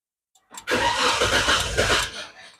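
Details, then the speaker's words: Old Naza Citra after the damaged injector wiring was repaired: about 1.5 seconds of cranking and chugging that never catches. It is not out of fuel; the electric fuel pump has failed. "Dia bukan habis minyak. Ini masalah dia yang kami itu pasang buka bangku dia nih. Aduh, masalah dia nih. Nih, electric pump dia rusak."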